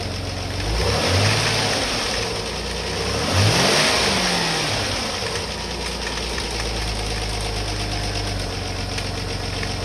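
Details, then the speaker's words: Rover KV6 V6 just after an oil change, idling with two quick revs: light fast rattle over the engine note from the inlet manifold, a common fault on these engines. "Let it run for a couple of minutes and back her off the ramps and top up the oil as necessary. You can hear the inlet manifold rattling away."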